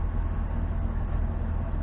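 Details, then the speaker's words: Ford Crown Victoria P71 V8 after replacing the coil pack for a P0305 cylinder 5 misfire code and test-driving: deep, even idle with a steady low rumble and no stumble; engine running smoothly. "engines running smoothly now [Music] so we'll just keep an eye on it make sure we don't have any more engine lights or anything like that"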